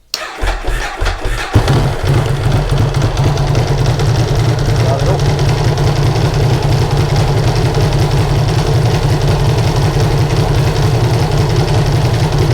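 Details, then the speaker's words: Ducati Hypermotard 1100S twin, first start after a timing belt change: it cranks, catches and settles into a loud, lumpy idle with dry mechanical clatter, which is normal for this engine; it runs properly. "so everything's fine there i've forgotten how noisy these two guys are up to sound like it sounds like a what they sound like they sound like a tractor"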